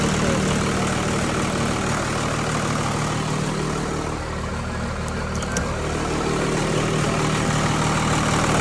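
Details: Tucker Sno-Cat with a 5.9 Cummins 12-valve diesel, previously stalling and then no-start after sitting over a month (plugged fuel pickup screen suspected), now restarted: even, steady low diesel clatter at constant idle with no misses or hunting; normal idle.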